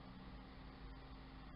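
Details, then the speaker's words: Small Chinese-made ice maker under repair, after about a minute running: low steady compressor hum with condenser fan rush, evaporator frosting as refrigerant passes capillary, normal operation. "the fan came on now so the fan is working and you can see the white here as it starts freezing"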